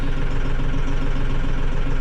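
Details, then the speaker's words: Mahindra 6065 tractor diesel started after service reminder reset: even low chug at steady idle with no beeping or alarm tone; normal idle. "hey there we go that sounds much better nice"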